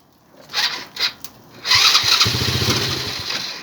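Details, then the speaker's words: Old barn-stored ATV revival, fuel supply issue after fuel filter, owners doubting gas is reaching it: a few sharp BB-gun-like pops then a ragged second of uneven firing that dies away; sputtering start. "She probably won't run too good because of the fact there's no gas going to her. Oh, she's gonna run, dude. That sounds like a BB gun."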